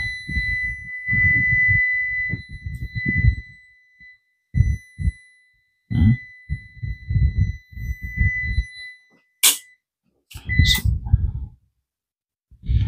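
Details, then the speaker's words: UPS on a weak battery: steady high alarm beep sounding almost continuously over music and knocks; battery holds too little charge. "ayaw [Musika] din ibig sabihin ah Hindi po sapat yung karga ng ating [Musika] Hindi po sapat yung karga ng ating battery"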